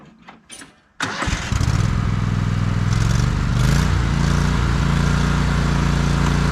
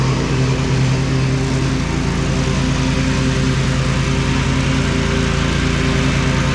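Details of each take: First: John Deere L130 riding mower after deck belt, pulley and spindle work: engine catches after brief crank and runs steady and even, with slight background whirr from the still somewhat noisy deck; normal running. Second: John Deere L130 riding mower after deck belt and some pulley replacement: steady single-cylinder drone with faint rough whirr from the deck, which is still a little noisy; another pulley and possibly spindles may need replacing later.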